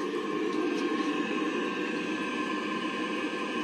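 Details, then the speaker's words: Navien NCB-240E combi boiler after an E352 water-pressure error, with the hot water side purged of air and the heating system disconnected: steady soft roar of burner and fan with a few constant tones and no banging or whistling; burner firing cleanly. "this is working now I've disconnected my heating system so we just want to try and sort one thing out at a time so this thing is doing it's uh doing its thing"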